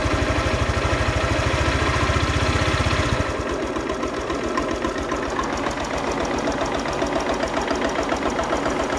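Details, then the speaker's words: Honda Click 125i scooter after water pump replacement, engine chugging unevenly at idle then sagging and fading; won't hold idle, stalls and won't rev; valve adjustment didn't help, fixed by resetting values. "เดินเบาไม่อยู่นะครับเดี๋ยวหาสาเหตุแป๊บนึงก็เป็นนันเสร็จแล้วนะครับ"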